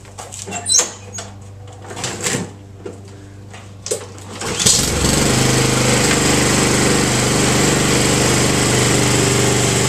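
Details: Honda Harmony II HRR216 Quattro Cut free mower (title says 5.5 hp), blades removed after previous owner's strike made blade wobble; fuel valve on, starts after clunks and pull, settling into steady even rapid putter with no misses: normal running.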